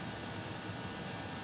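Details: Custom Webasto water heater and Chinese diesel heater hybrid at max, hot after about 5 more minutes; radiator almost 90°, burn chamber 140, exhaust about 120, water pipes 60 and 86; even continuous rushing roar, no pulsing, popping or sputtering; normal running.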